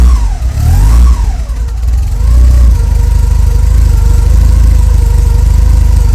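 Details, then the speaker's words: Porsche 944 after replacing entire exhaust system, held by ratchet strap: quick rev settles into smooth even idle with deep steady exhaust note, no leaks heard. "Well, it actually sounds like a real car now. And I don't think there's any leaks or anything."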